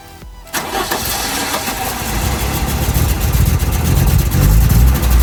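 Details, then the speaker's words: 1992 Audi Coupe, first start during restoration and after replacing the leaking original banjo-style fuel filter with an inline filter: starter cranks briefly, engine catches with a little throttle to build fuel pressure, rising into a steady, healthy idle. "Needs a little bit of throttle just to help it along, build up the pressure. Sounds good."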